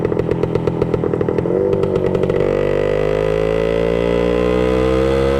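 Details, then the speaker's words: 1966 Suzuki Bearcat 120cc two-stroke, revived after sitting dormant, just started with an easy kick: sharp popping at first, then an even, crisp ring-ding slowly rising in pitch; runs clean, though a leak is still being sought. "Okay guys, so there you have it, our 1966 Suzuki Bearcat 120 on the road to being ready to go. It's running now."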